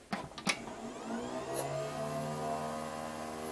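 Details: eMachines eTower 366c, a budget Pentium/Celeron tower from about 1998–2000 salvaged from recycling, powered on: switch clicks, then drives and fans whir up and settle into a steady whir with a rough edge from a noisy CPU fan.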